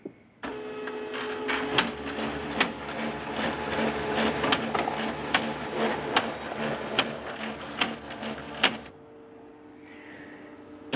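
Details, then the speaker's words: HP LaserJet 2400-series printer running with loud, sharp clunks through its hum; owner believes worn fuser assembly drive gears are the cause and replaces the three main gears. "believe the problem to be the drive gears for the fuser assembly so I'm going to replace the gears and we'll go from there"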